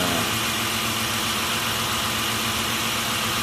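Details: Mitsubishi Nativa/Pajero V6 that cranked without starting for about two years, fixed by resetting timing belt to original marks at TDC: steady, even idle under hiss, no stumble, tick or knock; running smoothly after repair.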